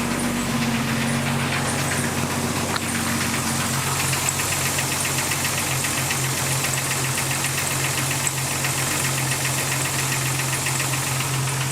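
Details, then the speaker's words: 1999 Jeep Cherokee Sport at idle: fast cricket-like chirping squeak, about four a second, from the AC compressor rather than the belt. "Um, and a lot of times you think that it's belt making the squeaky noise, but it's not. Uh, it's actually the AC compressor."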